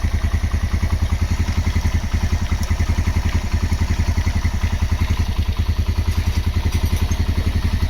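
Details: Honda GL Max Neotech single-cylinder motorcycle engine after a full engine restoration. Even, steady idle of soft pulses with no knocks or rattles; a normal, healthy idle.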